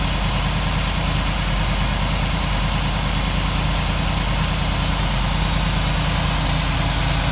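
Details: 1947 Ford street rod V8 idling after the intake manifold and distributor were reinstalled and a leaking gasket was replaced; steady, even idle with a smooth low burble and no knocks or misses. It runs healthy.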